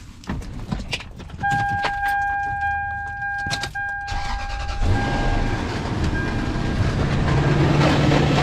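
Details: 2003 first-generation Toyota Sequoia, 363,000 miles, automatic transmission failed internally; a few clicks and a chime, then once running a loud, rough, gravelly churning rumble like stones tumbling. Transmission internal failure.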